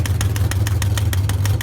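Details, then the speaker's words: Race car V8 with new 650 Demon carburetor, after about a minute of warm-up: sharp even ticks six or seven a second over a deep idle; something broken suspected, not the carburetor. "about a minute warm up started making that noise and scott said that's not good i thought maybe it was something in the carburetor that we just had off but he said something's broken"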